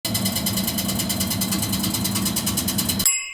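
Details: Carrier HVAC unit running: loud, fast metallic rattle over a steady blower roar, from a loose squirrel-cage blower wheel scraping its housing.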